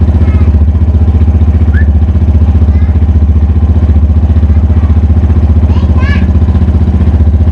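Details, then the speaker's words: 2010–2011 Yamaha Fazer 250 with 55,263 km, straight-through exhaust and fault codes: steady thump about 150 times a minute with an odd pulsing roughness at idle, worse when warm; source not yet found. "aí ó dando para ouvir auau dela esse é o som que ela tá fazendo tá esse é o som que ela tá fazendo vou usar uma e quando aquece fica pior ainda aí que o negócio fica mais gritante"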